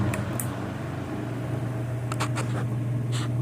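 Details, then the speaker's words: Vintage two-speed oscillating electric fan, old and heavy, maker and age unknown. On speed 2 (high) it gives a steady low hum with only a faint flutter and no rattle or scrape, smoother than on speed 1. Normal running on high speed. "Actually, it smooths out a little bit on the second speed there. High speed looks like. Kind of smooths out a little bit."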